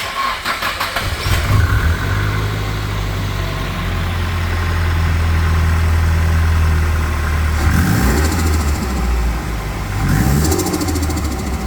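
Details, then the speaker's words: Nissan S15 Silvia, first start after fitting an intercooler, catch can, full intake and Z32 airflow meter, untuned. Lumpy, uneven idle, and the blips end in fluttering chatter: runs rough, needs a dyno tune. "all right guys so yeah we got a nice flutter there it doesn't sound like it's running 100 obviously we're going to have to get it to the dyno"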